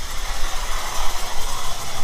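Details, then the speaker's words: 1997 Camaro V6 rescued from the crusher, on first start: an uneven, lumpy, stumbling idle, probably running on only about four cylinders. Spark to every cylinder is uncertain, but the engine seems to have compression. "well i' say that runs but man it doesn't sound good uhoo it's running on its own I don't know how many cylinders that's"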